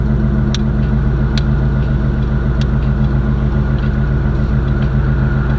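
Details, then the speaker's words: Chevrolet Caprice box Chevy, small block V8, loud exhaust, idling on the brake without needing throttle: deep steady burble, even pulses, no misses or knocks; healthy idle, though the owner says the car is slow. "even at idle this car sounds so good and like I said I don't have to hold my foot on the gas no more just straight with the brake this car sounds so mean y'all"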